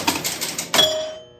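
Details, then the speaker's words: Grand Prix pinball at game start: a few light clicks, then a sharp bell ding because the 10-point slingshot scoring switch is stuck closed; fixed by bending the leaf switch. "So when you start a game, it's gonna ding. The bell's gonna ding real quick. The reason why the bell's dinging is because the 10 points is stuck on."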